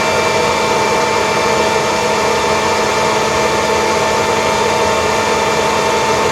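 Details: Kirby vacuum (G6 or Heritage II Legend) after refurbishment, airflow test with brushroll spinning, new HEPA bag and 50 ft cord, grease warming in: steady high-pitched whine, constant airflow, no grinding; higher pitch credited to properly seated commutator and brushes.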